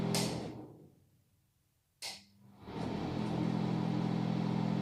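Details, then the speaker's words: Bathroom/toilet exhaust fan (aspirator), 220 V, before repair, noise sometimes rising: after a click, loud steady drone with hum on top; fan runs noticeably rough, cause not confirmed. "bakalım ne kadar ses ya bu zaman zaman sesi birazcık daha arttırıyor Hadi gelin sesini soluğunu keselim"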